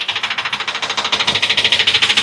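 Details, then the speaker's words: 2013 Ford E450 6.8 V10 with misfire on cylinders 1, 6 and 10, check engine light on: sharp, even, high-pitched metallic ticking about ten clicks a second, like a rattle; mechanic suspects an exhaust valve staying closed. "wow o el ruido de este motor pueden escuchar parece matraca cuando se queda cerrada Ah se queda cerrada la válvula de Misión"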